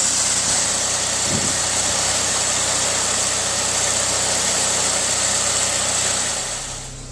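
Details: 2001 Saab 9-3 SE Convertible High Output Turbo after water pump replacement, warming up at 39°F: steady even idle, smooth hiss and light regular beat; earlier knocking gone, engine healthy.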